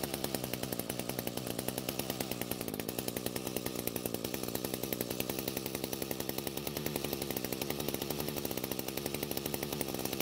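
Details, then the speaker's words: Echo GT200R trimmer engine buzzing steadily when throttled, but the trimmer head isn't spinning. Likely a broken drive shaft or one not engaged at the head or engine; the shaft mark sits too far from the cover. "so I stopped the engine because the trimmer head isn't spinning when I squeeze the throttle now the most likely problem is a broken Drive Shaft or one that's not engaged on the head or near the engine"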